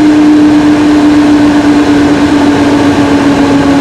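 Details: Mac Pro recorded with the camera inside the case: a loud, steady rushing roar like an airplane preparing to take off as the cooling fans spin up to full speed; cause not stated.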